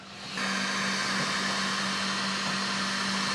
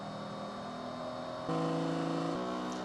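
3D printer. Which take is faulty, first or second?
first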